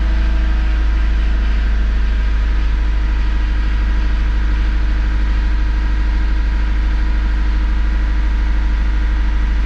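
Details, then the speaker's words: 1996-2000 Honda Civic LX D16Y7 that used to stall when idling down, warming up after cleaning the idle air control valve: steady, even idle with a smooth low drone, idling down without stumbling or dying. "but as long as it can idle down by itself without stumbling and turning off I'm happy so far so [Music] good"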